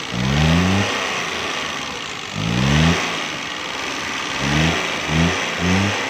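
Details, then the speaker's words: Suzuki Mehran 796 cc car running on gas: short throttle blips that never build revs, with popping and loud backfire; ignition coil found supplying too little current, causing the backfire. "बस दोस्तों, ये कोयल current supply नहीं कर रही, कम कर रही है, थोड़ा कर रही है, जिसकी वजह से ये गाड़ी बहुत तेज़ बैक लगाती है, पटाखे लगाती है।"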